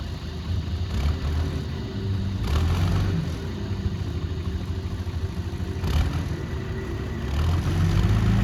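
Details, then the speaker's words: 60-year-old Clark Michigan 55A loader, Perkins 354 diesel, after tightening a fitting with O-rings, shifting forward and reverse (no hydraulic steering): steady low-rev chugging, load surging slightly; runs clean and even, leak fixed, dry. "Well, that's our first problem solved on this one. Dry as a bone under there."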